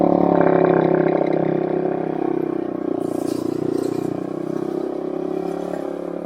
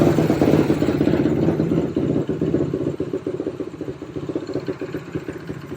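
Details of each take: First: 2007 Suzuki LTR450 quad after removing the blocked fuel filter: single cylinder pulls cleanly and steadily as it moves off, taking throttle without stumbling; running normally. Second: 2007 Suzuki LTR450 quad that won't take throttle, after repeated cranking: single-cylinder barely running with uneven stuttering pulses that sag and fade; owner suspects it's loaded up and feels it's taking no fuel.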